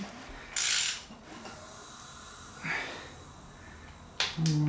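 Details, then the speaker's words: Ford 302 V8 rebuild with camshaft and cylinder head just installed, turned by hand: short airy hisses on each slow stroke are compression slipping past the ring gaps, which is normal; compression is good. "oh on that noise you hear down below is other compression leaking by the small gaps in the Rings totally normal um any engine is going to do that"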